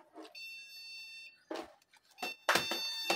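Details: Desktop computer with no display: long steady POST beeps at power-on.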